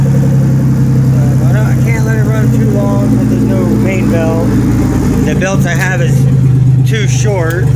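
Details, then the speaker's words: 1997 Pontiac Grand Prix GTP V6 hotwired and run without its main belt, with a steady, even, smooth idle and no misses or knocks. It is stopped by disconnecting the ignition wires. "but man she's running smooth and then to kill it i just disconnected two wires for the ignition and boom it's off"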